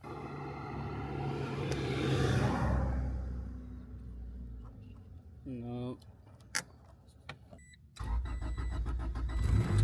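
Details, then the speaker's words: Turbo Honda Integra with AEM 400 fuel pump that would not prime: starter cranks, catches and fires into rough running; no-start cleared after unplugging and replugging wiring near the fuel pump relay, exact cause uncertain. "All right, well, the Integra turns on now. That was a weird issue."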